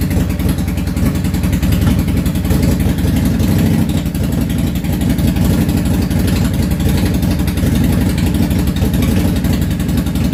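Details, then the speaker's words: Yamaha V-Star 650 Classic, completely cold engine, choke off, after carburetor work: ragged, uneven V-twin idle, rear cylinder firing constantly, front dropping in and out; intermittent misfire at idle, front carb suspected of fuel transfer issue. "it is idling uh on both cylinders one of them is sporadic the rear one seems to be firing constant and the front one seems to be kind of on and off firing"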